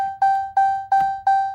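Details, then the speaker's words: 2018 RAM premium gauge cluster, removed from the truck and powered up: clean electronic ding repeating about three times a second from the chime beeper on the circuit board, which is to be deleted by cutting its traces. "This is the thing making that noise."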